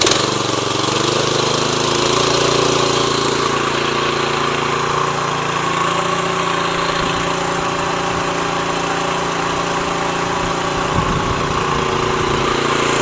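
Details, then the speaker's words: Tru-Cut C-25 reel mower with Honda GX160, after carburetor replacement for surging, barely warmed up: smooth steady idle, clean pickup to full throttle and back to idle with no hunting or surging; normal idle and throttle response. "We'll go full throttle. Absolutely no surging. I'm going to go ahead and turn it down. If you listen to that, it still stays idle."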